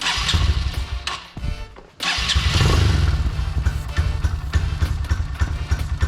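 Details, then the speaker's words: Dirt bike just after rebuilt carburetor with new seals and fuel lines: catches and revs freely with a crisp, even exhaust beat between throttle blips; runs well, only the idle needs slight adjustment. "Got to adjust the idle a little bit. Sounds really good, though."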